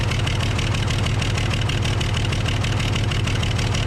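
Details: Case loader with 12-valve 5.9L Cummins diesel, idling before cracking injector lines; rough uneven knock about a beat and a half per second, misfire from a bad injector causing power loss and overheating.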